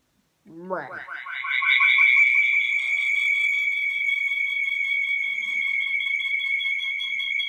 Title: my computer was making weird noises